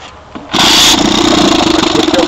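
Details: 1955 Johnson Seahorse 10 outboard, cold start with the choke out and throttle at middle speed: half a second of quiet, then it catches at once into a crisp two-stroke buzz; clean first-pull start.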